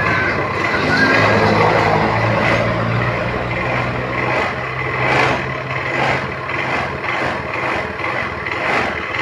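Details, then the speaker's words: Honda automatic scooter that started hard and stumbled, with the EOT sensor connector unplugged: starts with one kick and idles steadily with an even low hum, no stumbling or misfire. "Oke setelah kita lepas soket sensor eot motor ini dihidupkan cukup gampang ya Sekali selah saja motor ini hidup"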